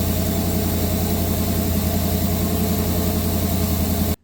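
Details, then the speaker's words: 1983 Chevy C10 small block (305 or 350) with Sniper fuel injection, warmed up: lumpy uneven V8 idle, missing on two cylinders with cold header pipes; one had a burnt plug wire, other unknown; bad gas smell suspected. "It smells like bad gas, and it sounds like it's missing on 2 holes. So I was checking the temperature on the headers, and 2 of the cylinders were really cold."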